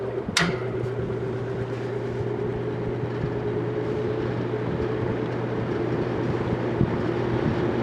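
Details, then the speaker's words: Vintage General Electric 3-speed reversible box fan, freshly oiled, running on medium, now almost like its old high: smooth, even hum with steady low drone, no rattle or scraping. Normal medium-speed running. "that's medium that's almost like it was on high before"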